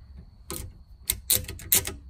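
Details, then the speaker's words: DIY electric gun rack lock in a Can-Am Defender side-by-side, with a programmable timer holding power for 13 seconds. Sharp metallic clicks as the solenoid releases and relocks: normal operation. "And I can program the timer for however many seconds I want. And there, you just heard it click."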